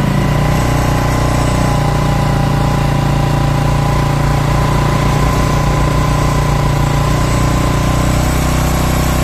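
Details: Yamaha Mio Sporty scooter after rebuild for lost compression (previously no compression, light when kicked), idle after throttle lowered, leftover oil in the exhaust; smooth steady idle of about three beats a second, no ticking or misfire; engine healthy.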